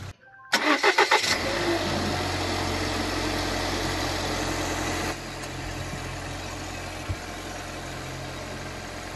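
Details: Normal family car engine, as checked when inspecting a used car for abnormal noises: catches after short crank, smooth even idle with steady low hum; nothing unusual, healthy.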